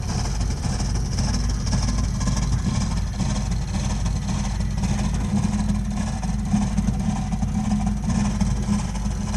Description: Burnham Alpine boiler continuing problem with loud noises